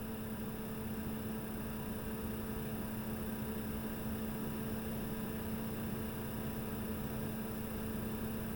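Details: Repaired diesel heater, previously smoking and dead, after teardown, cleaning, new fuel pump and filter, at normal interior temperature around 16–18°, listened to from inside: steady, even low hum, no ticking or surging; running smoothly.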